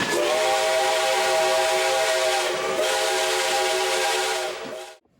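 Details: Whistling billboard after refurbishment with new brass and new grommets: steady, clear two-tone whistle with airy hiss, holding pitch and cutting off cleanly; working properly, sounds almost new.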